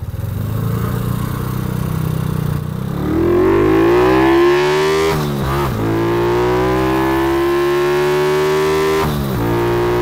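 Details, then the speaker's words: Kawasaki ZX130, test run without air filter: note climbs at full throttle then flattens near the top with dips at shifts; owner thinks it generally bogs above 8,000 rpm, cause unconfirmed. "Αυτό είναι το ένα άνοιγμα. Νομίζω ότι γενικά μπουκώνει μετά τις οκτώ χιλιάδες."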